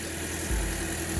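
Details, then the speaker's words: 2008 Toyota Corolla LE after replacing the failed ignition coil pack behind a P0303 misfire and clearing codes: low, steady, even idle with no stumbles, much smoother than before; normal idle. "Let's let the car idle. Oh yeah, night and day. A lot smoother."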